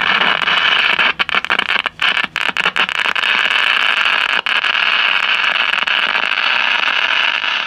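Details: 1956 CBS 5-tube AM clock radio after replacing the 12AV6 detector/first audio tube: constant hiss and crackle with dropouts and pops; arcing visible at bottom of IF can, confirmed by grounding the output to the detector.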